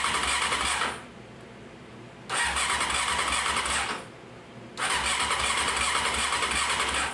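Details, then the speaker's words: 1995 Honda CBR F3 inline-four bought on a budget, cranked after an oil flush: repeated cranking bursts with a hissy uneven whoosh and no firing, which sounded like a compression issue; it was the number four spark plug left out. "never mind we had a we had number four cylinder um with the plug out so just for my own gratification stick it in"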